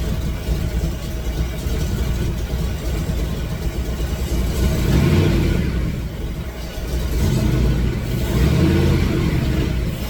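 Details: Fox Body Mustang after long sitting, more fuel added, Berryman sprayed in throttle: steady starter churning with no firing, no start; injector signal and spark confirmed, only fires on supplied fuel.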